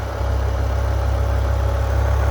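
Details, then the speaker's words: BMW E60 M5 S85 V10, about 135,000 miles, after rod bearing and valve cover replacement: deep, even idle with a steady low rumble and no ticking or knocking; healthy. "let's go she's gone no weird noises there won't be any weird noise in the future"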